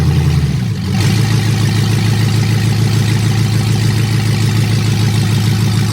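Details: Dodge Hellcat Magnum (supercharged V8) first start after TCM fix, new fuel line and coolant reservoir; no exhaust fitted, open headers. Catches after brief crank, settles into loud, steady, even idle with no misses; normal idle.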